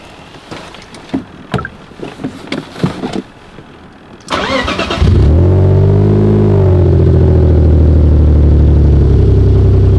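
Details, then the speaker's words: Worn BMW E46 drift project with codes for injector circuit low/open on cylinder 6 and a cylinder 6 misfire, started after the codes were cleared. A few clicks, then it cranks and catches into a lumpy, uneven idle; the misfire was not present when first driven. "It sounds like I have a misfire now. Not something like that when I just drove this thing out."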